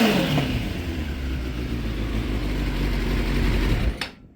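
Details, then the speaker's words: 2006 Suzuki GSX 600F Katana with iridium plugs, carburetor mixture screws turned in 1 1/4: idles fine, but revving climbs and hangs lazily with soft uneven edge, slight spark sounds and a little smoke; still running rich. "it still kind of sounds like it's getting too much gas. It's making a little bit spark sounds, and a little smoke comes out the exhaust."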